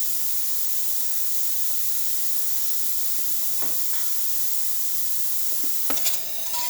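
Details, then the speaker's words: La Pavoni Stradivari espresso machine after full service, fixed for overheating and not pulling espresso: steady even steam hiss with no sputtering or surging; normal steam output, excellent pressure. "you can hear, it's pretty nice and steady."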